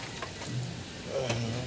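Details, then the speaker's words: Engine idling with both accessory belts removed, only the timing chain driven: low, even idle with no squeal or whirring. Noise is not from the engine itself; the belt-driven pulley bearings are suspected, later found at the AC compressor. "So, walang ingay, hindi sa makina, ibig sabihin. Itong mga bearing na ito, ang suspect natin."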